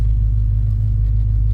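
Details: Jeep engine started after a fuel pump repair, fuel and oil pressure gauges working: deep, steady low rumble with an even beat, nothing rattling or ticking; sounds healthy (temperature gauge moved only a little, still being checked).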